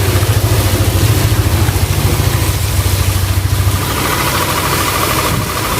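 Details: Yamaha Aerox scooter brought in for a harsh rattling engine noise, after its oil-sludge-damaged bearings were replaced with original bearings: steady idle with a soft, even pulse, no rattle or knock; normal idle.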